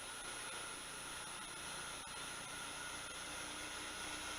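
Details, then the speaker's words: Verman 1hp two-speed 3-phase spindle motor on a Hui Chang VHM mill, fed from single phase through an XSY-AT1 inverter: a smooth whir with a thin high drive whine, no knocks or rubs, running normally. "right there it's a little over 70 hertz the motor has no problem with that almost 80 hertz no problem 85 hertz almost and first like a kitten"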